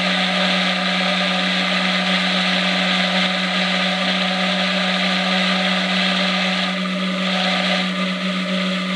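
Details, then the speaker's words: Micro hydro turbine a few days after piping install, pressure dropping toward 50 psi from 60: steady whirring with water rush easing near the end as it loses speed; water supply not enough to keep the big nozzle fed. "all right so we dropped pretty good our water supply is still not significant enough to keep our big nozzle nice and fed"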